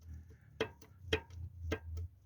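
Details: Suzuki Escudo G16 engine at idle: sharp dry ticks roughly every half second over a low idle hum, a light top-end tick of unknown cause.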